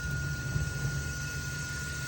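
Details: Raypak natural gas pool heater after heat exchanger cleaning for flame rollout: steady even low burner roar with no popping or surging, flame now burning straight up, firing normally.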